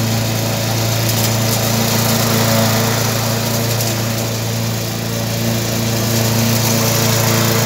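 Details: Briggs & Stratton 3.5 hp mower engine, warm. Steady, even drone with no misses, knocks or hunting; normal running.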